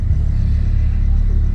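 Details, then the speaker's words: 2012 Audi Q7 after an oil service, idling in gear with a steady, smooth low rumble. The slight shake felt before the oil change is gone. "before changing oil i feel a little bit shake not much but now not even not a not at all i don't feel nothing at all"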